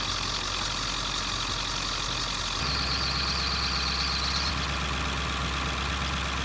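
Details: 2001 Ford F-350 diesel at rough idle: thin high squeal rises about two seconds then fades after spraying the water pump made no difference; owner can't isolate the pulley and considers a new serpentine belt; worn belt slipping.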